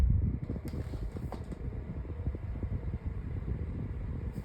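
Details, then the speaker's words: 8-inch Sunbeam (Holmes) oscillating fan with front grill removed: soft even whoosh and low hum with no ticking or rubbing, much quieter, airflow picking up slightly. Normal running. "As you guys can hear, it's a lot quieter, and airflow is actually starting to pick up a little bit."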